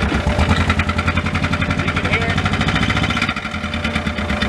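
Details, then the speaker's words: 2016 John Deere Gator XUV 590i, 1,777 hours, said to be locked up, jump-started, with the wrench warning light on. A rough, irregular clattering knock over the idle like a jackhammer; something is wrong in the engine, cause undetermined. "but it is making some engine noise. We'll try to get into that."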